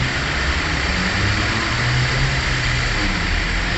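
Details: 2001 Toyota Corolla Altis that had cranked but wouldn't start, with fuse and fuel pump involved: smooth, even idle hum with no misses, knocks or surging; engine running normally.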